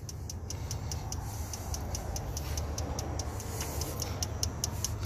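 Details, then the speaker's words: 2006 Dodge Ram 3500 5.9L diesel with crank/no-start and no ECM communication: rapid even clicking at key on, engine off, as communication drops, traced to a faulty harness connector carrying power, grounds and CAN lines. "Because if you listen now, it's that fast click, click, click, click, click, click, and I'm gonna have a no comm again."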